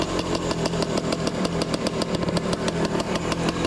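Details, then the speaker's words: 1978 Yamaha DT175-based bike, fuel on, choke on, started on the first kick: crisp popping two-stroke idle about two beats a second, loose but steady with no knocks or grinding; idles fine, though the clutch doesn't work. "Gas is on. Choke is on. Are you kidding me? It just started on one kick."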